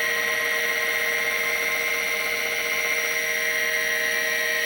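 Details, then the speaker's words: Vintage Seagate ST-251 5.25-inch MFM hard drive after control board swap, on XT clone: steady high platter whine with faint regular seek ticks as it spins up and initializes; healthy. "all right good sign we're spinning up and the computer's booting on the screen here we hear the initialization"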